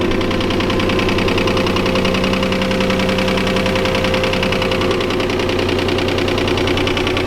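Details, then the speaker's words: Boosted V6 Mustang at idle: a light, fairly quick ticking rides over a steady idle, more tick than deep knock, from a passenger-side cylinder; the owner suspects piston, cylinder or rod damage. "I have engine knock uh it's kind of more of a ticking than knock I honestly don't know what it is"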